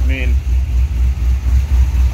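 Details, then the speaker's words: Cadillac CTS-V (gen 1, LS V8, healthy cam), about 82,975 miles, heard from the rear through what are thought to be rusty Flowmaster mufflers: deep, even, lumpy burble with steady low pulses, fairly quiet, no misses or ticks. Normal V8 idle. "i might have to make it a little bit louder this is actually kind of quiet definitely got a healthy cam though i mean"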